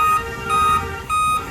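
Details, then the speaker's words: Dell/HP laptop with no display: at power-on, short high-pitched beeps about every half second, a five-beep code pointing to a dead CMOS battery. Five-beep POST error code (CMOS battery failure). "तो laptop on करते हैं तो इसमें जो है कि 5 बार beep करता है।"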